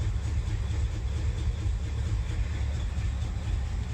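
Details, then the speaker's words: 1977 International Super Scout II V8, 4-speed 4x4, newer exhaust, fresh gas added, plugs and oil unchanged: slow deep loping V8 rumble with no knocking; idle sits low, probably needs idling up. "So I don't know how accurate it is, but it's got a little bit newer exhaust on it. Here, it probably needs to be idled up a little bit."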